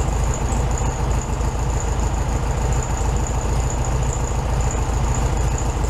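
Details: 1967 VW Beetle 1500cc air-cooled flat-four, warm idle after carburetor refitted with new base gasket (second fix); even low putter about three and a half beats a second, slightly fast but smooth; healthy idle, slightly high.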